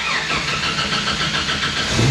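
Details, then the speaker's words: 1995 Jeep Wrangler YJ 4.0 at 156,013 miles, first start the morning after repairs and an axle re-ratio. It catches quickly and settles into an even run, with oil pressure and voltage good. A normal, healthy start. "Start. There we go. Nice. Okay, we got oil pressure, we got voltage, we got gasoline, we got 156,013 miles on the Jeep odometer."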